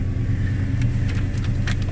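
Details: 2009 Dodge Challenger SRT-8 V8 after new evap purge valve install and code clear: deep, steady rumble with even low burble, no ticking or knocking; runs cleanly, awaiting drive cycle.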